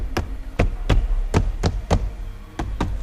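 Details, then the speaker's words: Legacy front driver's door after sound deadening (Focal BAM outer skin, Dynamat inner skin, wiring taped), door card refitted: knuckle raps land as dull solid thuds with nothing buzzing after; well damped, rattle-free. "No rattles to be heard. That sounds so much better."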